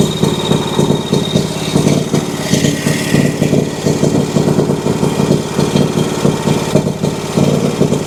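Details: Exmark Vantage S stand-on mower with Kawasaki FS541V, 1181 hours, popping and losing power under blade load: steady V-twin idle with uneven pulses and occasional stumbles; misfiring and popping, while clear, good-smelling fuel with plenty of pressure rules out fuel supply.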